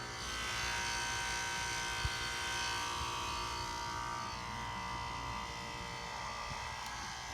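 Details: 2006 Nordic Air heat pump outdoor unit: steady electrical buzz with no fan whoosh; fan does not turn while warm air blows inside the house, and about 30 seconds after the noise stops the fan starts normally.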